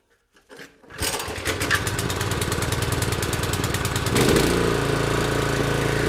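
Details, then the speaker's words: Cub Cadet 3224 3200 psi pressure washer engine after carburetor cleaning, started with full choke and throttle wide open: pull-start catches within a second, quick even putter settles into a steady higher run with no sputter or hunting; runs clean. "Alrighty, she is good to go. Thanks for watching."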